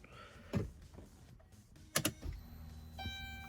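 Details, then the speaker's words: Turbo LS-swapped Caravan with 0411 PCM and AEM wideband, fuel pump wired to its relay: at key-on, clicks then a faint steady hum for about a second as the pump primes normally before starting. "oh fuel pump cuts in wideband works i got it hooked up to the fuel pump relay so when you first turn on the key it'll only prime the pump so this only turns out for a second"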